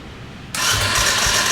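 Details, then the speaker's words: Blown-up dirt bike cranked on the electric starter with good spark and brake cleaner sprayed in the plug hole: spins fast and too easily with weak puffs, almost trying to start but not catching; low compression suspected. "turning over awfully easy you heard it almost try to start"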